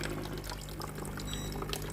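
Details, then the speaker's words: Philips GC7051 steam iron water pump after replacing the faulty steam water hose: low steady buzz with water gurgling and trickling through the line, pumping normally. "La pompe à eau fonctionne. J'entends le bruit de la pompe à eau qui pompe."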